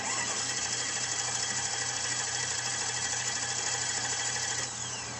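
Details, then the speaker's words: Mercedes C55 AMG, M113 V8, stranded in parking lot, no check engine light: starter spins engine at steady quick rhythm but never catches or fires; crank no start from failed crankshaft position sensor. "clearly there was something wrong with the car. I wasn't going to keep trying to crank it over because I didn't want to burn out the starter motor."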